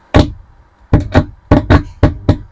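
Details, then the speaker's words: Power amplifier sparking at one channel's speaker wiring, volume at full: sharp irregular thumps with silence between, while the other channel gives only normal hum. "sebelahnya ini yang mengeluarkan percikkan api jadi mudah-mudahan sahabat-sahabat kelihatan kalau dimasukkan di speaker seperti ini"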